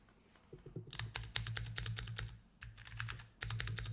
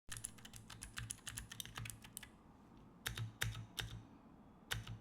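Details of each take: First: Keychron keyboard after applying nano tape to fix a hollow, tingy spacebar: crisp, even keystroke clicks with a solid low thock on the spacebar and no metallic ting or rattle; spacebar and keystrokes sound normal. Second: Keychron keyboard before the nano tape fix: uneven typing clacks, and heavier spacebar strikes ring with a thin, hollow metallic ping. Hollow spacebar ping, which nano tape is then used to dampen.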